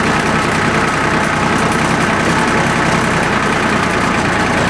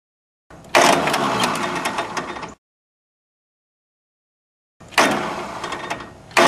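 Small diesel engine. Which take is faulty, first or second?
second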